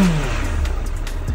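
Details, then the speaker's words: 2008 Suzuki GSF1200S Bandit carbureted four, nearly warm: quick blip, deep exhaust note rises and settles cleanly without popping or stumbling; big-displacement engine slightly inert; normal throttle response. "в принципе откликается хорошо Ну немножко конечно инертный двигатель"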